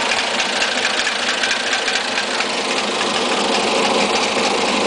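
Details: Siena 1.6 with a rough, uneven idle and a light, fast tick, roughly twice a second. It is heard lower from above the engine bay and louder from under the engine bay. Source unidentified.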